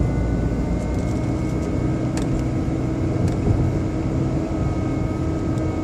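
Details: BMW 120i E87 with engine running: several steady whining tones like an electric motor over an even engine hum; an engine oil change did not fix it; seems to come from behind the air cleaner box; cause unknown.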